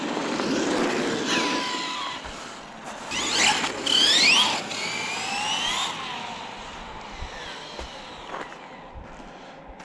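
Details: Traxxas E-Revo RC truck in snow after rear diff rebuild with homemade shims: electric motor whine rising and falling with speed, no grinding from the rear; rear diff sounds fine, slight clicking under hard braking suspected from the front diff.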